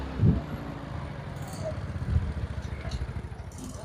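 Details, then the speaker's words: Yamaha Mio Sporty automatic scooter idling after repair of rough CVT-area noise; three starter crank axle had moved forward and was fixed. Engine runs smoothly with a low steady rumble, no klotok-klotok knocking, buzzing or ringing. "engine is running smoothly again and there is no klotok-klotok sound anymore. there is no buzzing sound on the part, friends, you can hear the sound for yourself [Music] the ringing sound has also disappeared."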